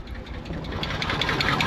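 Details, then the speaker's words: Nissan R34 Skyline at 149,000 km, parked in the weather for 10 years, first run on its own with stale fuel and no coolant; uneven, lumpy idle with irregular ticking and stumbles, a horrible misfire. The fuel pump hose is to be replaced. "The engine sounds like ass. It's got no coolant in it, but she's actually staying on under her own power. As you can see, as you can hear, it's got a horrible misfire."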